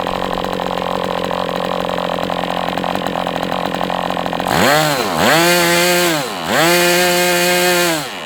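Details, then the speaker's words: MDS 68 FS Pro four-stroke glow engine on break-in stand, after carb retuning (idle screw had been tampered with), idle bar plug removed; sharp high-revving note climbs, dips, climbs again cleanly, no misses; healthy run. "This one was, I was thinking was questionable, but hey, it was just a matter of getting it tuned. And that's all there is to it. This is a nice running engine."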